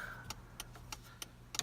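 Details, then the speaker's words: 1989 Toyota 4x4 pickup with LED blinkers, after replacing the flasher relay: crisp relay ticks at an even, unhurried pace of about three per second over a quiet idle. The hyper flashing is fixed and the turn signal flashes at normal rate. "No more hyper flashing. Let's go back over here. Yep. Exactly what it should do."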